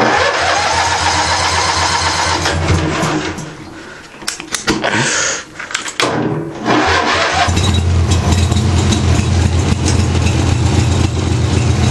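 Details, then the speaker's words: Craftsman with 14 hp twin-cylinder Briggs engine: cranks and catches, runs lumpy and uneven, sags almost to a stall then picks up; one cylinder weak despite good spark; owner suspects compression, rings or head gasket, unconfirmed. "is uh is not running right it's like it's like a sort of like a dead cylinder but it's actually still firing"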